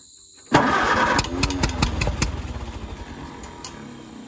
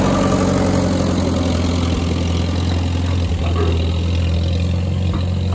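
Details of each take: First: Grandpa's old tractor after draining fuel with orange crud out, fuel valve back on, key on: starter churns about 2.5 turns per second with a few sharp pops, nearly catching. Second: Grandpa's old tractor idling just after getting it started again, once the fuel was pulled: a steady, even, smooth low thrum with no knocks, misses or surging. Normal idle.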